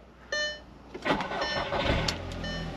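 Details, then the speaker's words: Salvage-auction car with about 70,000 miles: brief chime, short crank, catches quickly and settles into steady even idle; sounds good, possible check-engine or low-coolant warning on dash; normal start. "she runs yeah she runs I mean sounds good"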